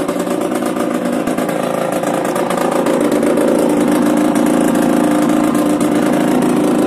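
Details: Yamaha DTR 125 two-stroke, first start after fitting unrestricted Gilera SC CDI, Big One exhaust, 240 main jet, powervalve fully open: crisp even burble holding steady with slight swell in revs, no misses or rattles; running healthy.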